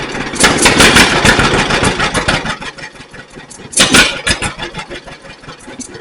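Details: 1942 John Deere Styled B two-cylinder tractor, revived after being freed up, magneto and carburetor work: catches after uneven pops, settles into a loose, lumpy putt; starts and runs normally, possible minor oil seep noted.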